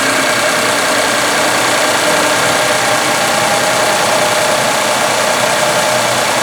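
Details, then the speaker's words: Ford 3.5L EcoBoost pickup after high-pressure fuel pump replacement for P0087/P053F loss of power: cranking is delayed by air in the fuel system, then a steady, even idle with no misses, sounding as it did before; normal idle. "and you could hear the delayed cranking there that of course was due to there being air in the system but that basically sounded about like it sounded before"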